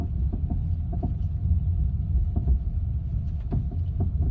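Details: BMW F30 running; low rumble with irregular dull knocks popping through about every half second, origin of the knocking unknown.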